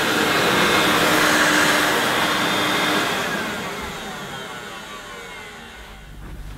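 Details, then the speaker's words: Hoover S2095 Quick Broom II mains-powered bagless stick vacuum, brand new, first run. Steady airy whir with a faint high whine, then it slows as it spins down; earlier wind-down sounded a little poorly. Sounding better, owner expects it fine once warmed up: normal running. "Well, it's sounding a bit better. I think once it's warmed up, it'll be fine."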